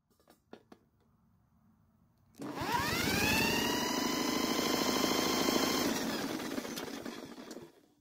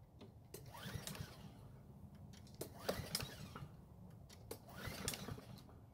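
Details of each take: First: Blackmax mower that won't start, cranked during a compression test: even, regular cranking about three pulses a second with a strong beat on every stroke; 182 PSI, so the engine is not worn; normal compression. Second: Curb-found Blackmax walk-behind mower with auto-choke: about three pull-cord cranks, each a brief rattly whirr with no firing; cranks but won't start, carb problem or stale fuel suspected, ran briefly after fuel poured into carb.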